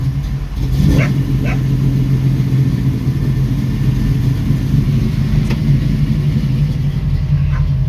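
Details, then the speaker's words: 1966 Mustang, Holley 650 double pumper carb, cold and a little cold-blooded, after the transfer slot adjustment: a low, steady idle rumble holds evenly with no stumbling or dying, where before it would not idle without gas; brief dog bark early on. "well that's about the longest I've ever seen this car stay on it's a little cold blooded"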